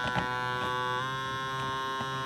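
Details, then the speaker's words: Pontiac Fiero: steady electrical-sounding hum/buzz from behind the dash, mic held close; pitch changes slightly when the plastic is pressed; source unknown. "trying to determine where a buzzing is coming from on the Fiero here you can hear it back under the dash"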